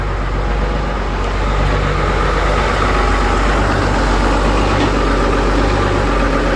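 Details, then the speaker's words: Engine with idle set about 1000 RPM that dies at idle and stalls on quick rpm drops: rpm lowered slowly, low uneven beat wavering and sagging as if dying then catching; rough near-stall running, cause unknown. "And if I bring down the RPM slowly, listen, it stalls. I'm bringing it down slowly. It's stalling. You can hear the stalling. And it's okay."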